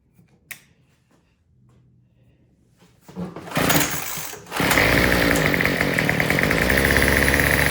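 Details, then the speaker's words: Troy-Bilt TB225 two-stroke tiller after the Pac-Man carburetor adjuster was turned 1/8 turn counterclockwise (richer): it catches, sags and runs rough and buzzy, still fuel-starved. The cause was a rotten fuel line and old carburetor diaphragm and gaskets. "Yeah, it just sounds like it's still running out of gas. All right, so turning it counterclockwise really didn't help."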